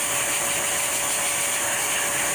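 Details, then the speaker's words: 2010 Mercury Mariner 2.5L, under the vehicle: steady hissing rush over a faint engine as exhaust escapes a large hole cracked almost all around the top of the pipe, causing exhaust smell in the cabin; exhaust leak. "is almost all around at the top of this so that's why I was getting uh I'm getting air to the cabin I was gettin that funky smell of our exhaust"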